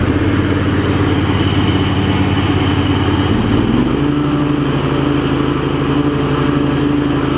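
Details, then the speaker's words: Craftsman garden tractor with Kohler CV20, after ignition switch replacement, carburetor clean and new primary deck belt: engine comes down from a faster speed and idles down really well, settling into a steady, even idle with no hunting or stumble; normal idle. "it ain't enough to try and mix or anything cuz it's still track St great it idles down really well too"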